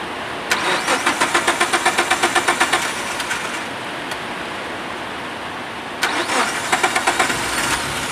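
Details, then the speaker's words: MPV petrol engine that starts on the starter but dies when the throttle is forced; two spells of steady cranking, about four turns a second, barely catching; fuel pump pressure to be checked next; engine stalls under throttle. "yang dimana penyakitnya kalau di stater hidup digas kalau digas dipaksa mati mesinnya mati"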